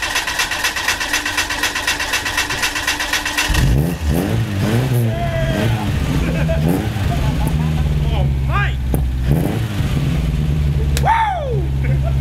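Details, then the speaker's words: Mitsubishi Cordia started after sitting about 7-8 years, with fresh gas, cleaned fuel filter and new battery: steady cranking, then it catches within 20 seconds. It settles to a throaty idle with clean throttle blips through a straight-through exhaust; healthy start. "well that was pretty uneventful fired up within 20 seconds"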